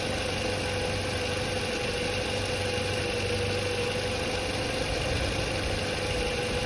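Smooth, even idle with only a faint steady hum, no rising whine or grinding; the alternator sounds healthy.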